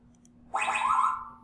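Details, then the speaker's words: Yaskawa Sigma-7 servo running the SigmaWin+ Easy FFT test: a short rising chirp, then a bright tone that holds and fades as the sinusoidal torque sweep finds 1157 Hz for notch filter parameters Pn408/Pn409. "that produced some chirps and it's analyzed the frequency response and found 1157 hertz for the notch filter"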